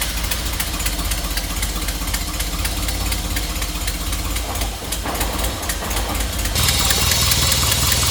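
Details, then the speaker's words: Nissan S13 (Sil80) start: steady idle with even beat about four times a second, no misses or knocks; never sounded so healthy before. "okay this car never sounded so healthy before to be honest"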